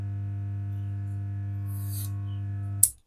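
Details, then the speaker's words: 3055-transistor amplifier, speaker connected and powered on: a steady low hum drones from the speaker, then cuts off with a click. DC voltage is present at the speaker output; two resistors are burnt, and the transistors are likely shorted. "यानी इसके speaker के point पर यह DC voltage out हो रहा है जिस वजह से यह हमिंग कर रहा है"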